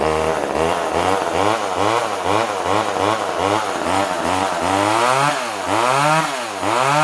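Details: Older Poulan Wood Shark chainsaw hunting about once a second, lean-sounding, never settling; runs only with choke siphoning fuel through the venturi, backing the jet out does nothing, owner suspects it needs a carb kit.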